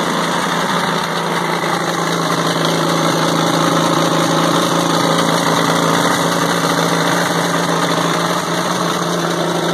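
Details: WWII-era Caterpillar RD4 bulldozer diesel, first start in 20 years after retrieval from a canyon (clutches seized, won't drive): steady even low chug at idle, no knocks, misses or hunting; running smoothly.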